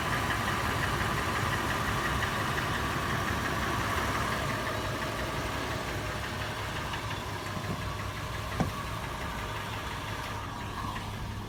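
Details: Toyota FJ at idle, later in warm-up: the clatter has become a distinct, slower, loud, sharp metallic tapping or knocking, about three taps a second and evenly spaced. It also occurs on slow acceleration and when slowing from 1800 rpm. Source not pinned down.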